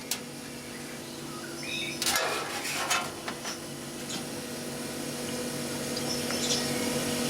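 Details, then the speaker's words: CO2 (R744) refrigeration compressor in a vending machine, after charging: a steady, even low hum of constant pitch with no knocking or rattling, system getting cold; normal compressor running. "see it sounds good now sounds healthy"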